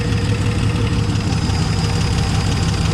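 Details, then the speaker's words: 1970 Dodge Challenger slant six idling after its first start, with new plugs, old wires, the carburetor hooked up and a temporary fuel pump. A steady, even low rumble with a regular beat and no knocks or misses; normal idle despite a slightly wobbly fan. "We don't worry about that. Surprised it started up and started idling that well."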